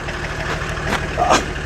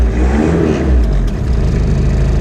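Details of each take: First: Old boneyard-ready turbo diesel car with an open intake. Even, low clatter at a steady idle, no misses, knocks or hunting, turbo audible. Normal idle. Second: Diesel car previously run on vegetable oil, just started after sitting a while, air conditioning on. Deep, steady rumble with a slightly uneven beat at idle, dragged down by the AC load. Rough running.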